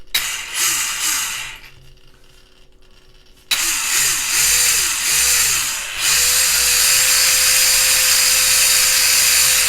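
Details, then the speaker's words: Tamiya TT02B RC car after electrics upgrade and high-speed gear set; a Savox servo also makes noise. Short bursts of motor whine rise and fall cleanly, then settle to a steady high whine with no grinding or clicking. Normal motor and drivetrain run. "So, where are we? Off. So yeah, all good in the hood,"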